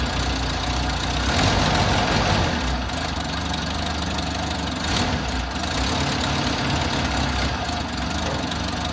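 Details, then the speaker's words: Toyota Hilux six-wheeler with an odd idle that began after a fuel tank replacement; fuel filter and spark plugs replaced without fixing it, possibly worse now. Idle rises and sags unevenly with a loose, lumpy beat; rough surging idle, cause not yet found. "Well, clearly the fuel filter and the spark plugs didn't fix my problem. I still have that odd idle and it may be even worse now."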